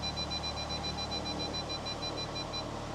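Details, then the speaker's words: VW Touareg tow vehicle after replacing a fuse corroded in its holder that caused a front parking-assist loudspeaker fault: engine idling, a high steady warning tone holds for a few seconds as someone walks in front. Normal parking sensor warning. "Where are we going to get it? On the dash? I think it'll just beep. Not sure if we'll hear it."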